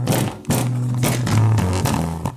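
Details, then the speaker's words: Klipsch 4.1 subwoofer driven by stacked amps: on power-up the low notes buzz and smear; its over-10-year-old 6.5-inch drivers have failed, the right one blown with rotted foam surround. "Well, those old 6.5s have finally had it. Over 10 years later. Looks like it's just the right side that's blown."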